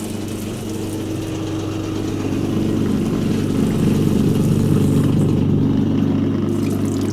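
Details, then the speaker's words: Hotpoint Empress vintage single-tub washer, pump draining water through a heavily scaled pipe during a test wash: steady low motor hum with gentle churning of water rising slightly then holding even; drain pump running normally. "that's it you just drain it out like this it's not bad actually it's just working"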